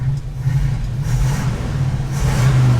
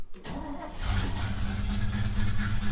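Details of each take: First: 1950s Chevy 3100 Apache pickup V8 on a road test after carb adjustment: deep rumble under light throttle with uneven surges and a slight stumble as it opens up; little off-idle hesitation, owner says something's wrong with the accelerator pump. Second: A Chevy 3100 pickup, carbureted with a leaking fuel pump, started with the choke out after two pedal pumps: a short crank, then it catches within a second and settles into an even low rumble. A healthy cold start.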